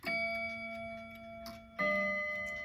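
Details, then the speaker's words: Slow-running Seth Thomas mantel clock, after bending the hammer arms: chime notes ring with a clear, sustained tone and no deadening, showing the hammers are now properly adjusted. "sounds more of a clear tone."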